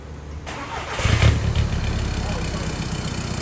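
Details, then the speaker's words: Audi A3 common-rail TDI right after a DPF delete, mid-pipe install and tune: the starter churns hard and steadily but the engine never catches. It cranks but won't start. "Cranking like crazy, but now it won't start."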